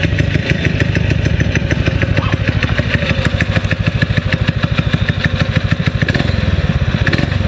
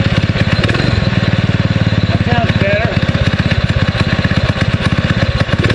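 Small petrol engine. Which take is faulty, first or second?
second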